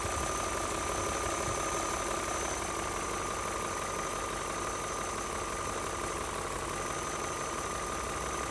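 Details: BMW E39 M5 at idle after oil change and replacement of oil separators and upper hoses (done for black exhaust smoke): steady idle with light rattle over a faint high whine, unchanging; judged its normal sound.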